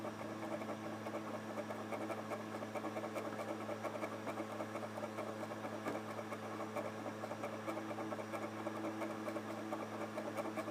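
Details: Xbox 360 Slim DVD drive with an old game disc inserted: faint whirring hum with quick repeated light ticks as the laser moves back and forth very fast, with slight grinding while seeking.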